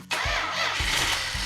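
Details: Freshly built 440 Magnum V8, after resetting distributor: engine catches almost at once and settles into a lumpy, steady V8 beat with no stumbling or backfire; starts and runs properly.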